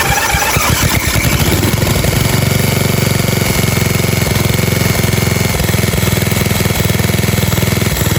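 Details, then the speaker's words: 1997 Murray 30575X31A lawnmower single-cylinder engine, just un-seized and reassembled with two broken head bolts missing and cooling shroud off: catches quickly and settles into a steady, even thrum with no misses or knocks, normal running. "runs like a dream"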